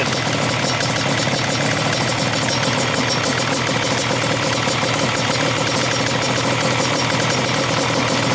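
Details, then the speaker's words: Yamaha Banshee two-stroke twin, stock carbs synced, air screws being opened from fully closed to add air. A busy, crackling idle that picks up speed and starts clearing out: rich idle mixture leaning out. "all the way close the both cruise very very rich"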